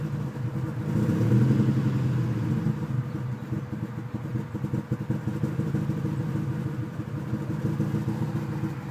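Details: Rough idle once warm; at first start it revs to about 1700 rpm, then uneven lumpy idle with irregular low pulses three or four a second; owner suspects coolant air bubbles or idle air control valve.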